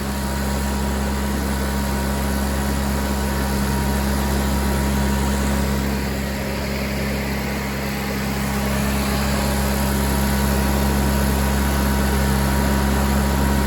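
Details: Miller Bobcat 225G welder-generator, idle for years, after starter solenoid, ignition pickup, alternator and fuel pump work and an oil and fuel line change: constant low hum under governor, no knocks or misses; generating fine, idle possibly set low, slow to warm.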